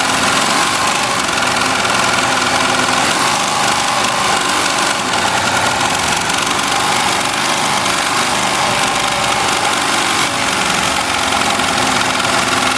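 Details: Melco Summit embroidery machine stitching a jacket logo, shown running up toward its 1500 stitches-per-minute maximum: loud, fast, even chatter held at constant speed, no knocks or catches; running cleanly at full speed.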